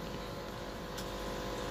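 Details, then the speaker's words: Samsung washing machine that would not drain, tested on spin after drain motor repair: steady motor hum with water rushing out and one click as the lever pulls up; drain now normal, fault was the drain motor. "Ini kedengeran narik tuasnya naik Airnya sudah keluar alhamdulillah di sini sudah normal kembali jadi masalahnya di Grand motor"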